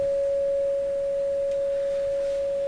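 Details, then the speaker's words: Canadian General Electric KL-96 radio, signal-generator test tone fed from the phono input onward: clean, steady mid-pitched tone with no hum, crackle or distortion after an open ground was found; audio stage working properly while the radio remains silent. "So that's the audio portion of the radio is definitely working just fine from the phono onward, just to convince you here."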